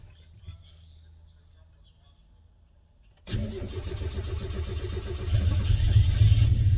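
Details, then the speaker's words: Turbo Miata first start after fitting a new ECU and priming the fuel pump: cranks and catches into a rough, uneven, lumpy run, sounding like it isn't firing on all cylinders; misfire suspected, cause not confirmed. "I was expecting teething problems so I don't know why I sounds like it's not firing or cylinders"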